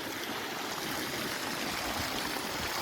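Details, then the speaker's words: Water pump after repair of a faulty contactor in the electrical panel whose two poles failed, causing high motor current and cycling: steady rushing water flows evenly from the outlet, no chatter or break; normal pump flow. "Şu an su çekti. Evet, şu an suyumuz çekti, akıyor."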